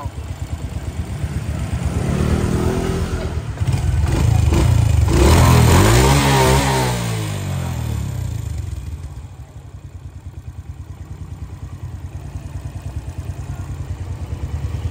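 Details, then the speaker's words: Old Suzuki single-cylinder after clearing carbon blockage from the clogged exhaust: revs up cleanly, drops back to a steady even idle with no rattle; engine sounds healthy. "Bạn thấy Suzuki đời cũ mà làm bây giờ tiếng máy vậy"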